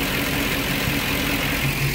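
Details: 2009 Ford E-350 with 5.4 V8, no fault codes, complaint of very high idle rpm and occasional stalling while driving: steady but clearly fast idle with no knocks; high idle from dirty throttle body.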